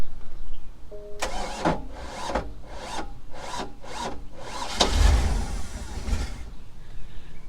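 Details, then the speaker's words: Mercruiser boat engine with new starter, new alternator and new battery already down to 40%: about six slow labored turns, won't catch, lacks power to crank; cause suspected, not confirmed. "it's so strange it's like it just doesn't have enough power to crank it over but it's it's a brand new starter so I know the connections there are good"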